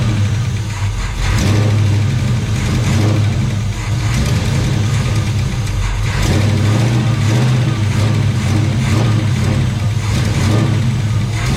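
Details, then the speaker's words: Chevelle sitting 15+ years in a Texas barn, mechanical fuel pump replaced with temporary electric pump; steady low rumble with throttle blips, even firing, no tapping or knocking; runs fine. "It runs. It melted my zip tie bracket, but I guess that's okay. We're gonna have to replace that. But it runs."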